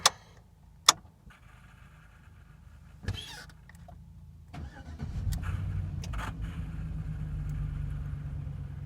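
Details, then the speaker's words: 2003 Chevy Trailblazer EXT 5.3L V8 after throttle body and MAF sensor cleaning, throttle body reinstalled: a few clicks, then cranks, catches and settles into steady, even idle with no misses or knocks; normal start and idle. "are looking really good. Let's go ahead and increase the load on the unit. Normally this would cause the voltage and the RPMs to drop."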